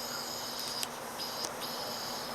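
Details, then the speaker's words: Patio heater that lit then went out, checked for a plugged burner orifice: steady, even high hiss of gas escaping with no sputter or dropout, and gas can be smelled; flow is clear, not blocked. "see I can hear it and if you I can smell it see so it does have gas coming out so I think this part is okay"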